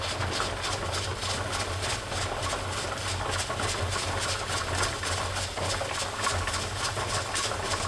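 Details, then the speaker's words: Presto pressure canner processing raw-pack carrots, dial gauge near 11 lb, heat around 3.5–4: steady low hum with rhythmic steam hissing as the regulator weight jiggles and rocks at processing pressure, normal. "my dial gauge shows us that we're just about 11 lbs and my my weight is going because I'm relying on the weight"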